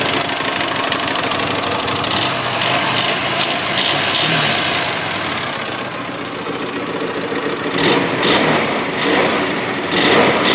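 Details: 2007 Hyosung GT250R after a highway ride: light, quick ticking clatter over a busy idle, present only at idle and low rpm and fading above about 4000 rpm; owner suspects valve adjustment or cam chain tension.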